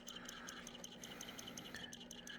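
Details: Mesa tube guitar amp: sharp, regular clicking about five or six ticks a second, not through the speaker. It stops when standby is switched off and when switching from 25 to 10.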